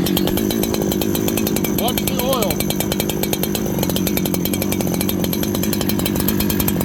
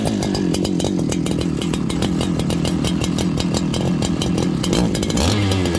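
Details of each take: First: Farmertec 288 kit chainsaw after oil pump repair and carb tuning, idle adjusted so the clutch doesn't engage, restarted on one pull. Quick, even buzz with a steady firing rhythm that never hunts or stalls. Normal idle. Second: Farmertec 288 kit chainsaw right after an oil pump repair, before carb tuning. Runs rough and blubbery, firing unevenly and stumbling rather than settling to idle. Carburetor set very rich, poor idle; low jet to be turned in to lean it.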